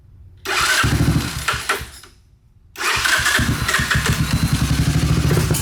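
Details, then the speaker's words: 1986 Honda ATC250ES Big Red, 250cc four-stroke, remote tank after carb cleaning, mouse debris blown from exhaust. It stumbles, dies, restarts and runs lumpy; owner suspects a jet snapped off in the carburetor. No knocking or blue smoke noticed. "So I'm wondering if that's why we're having a little bit of running issues. But it's running, and it's sounding pretty good."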